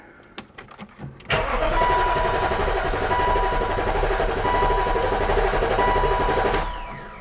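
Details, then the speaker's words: BMW E53 X5 after sitting about three years, fuel line routed into a beaker: steady starter whir for about five seconds with even compression beats and no catch; the fuel pump runs but delivers no fuel, wiring not yet ruled out. "nothing nothing's coming out of there well i think we have our answer guys that fuel pump even though it runs does not pump fuel"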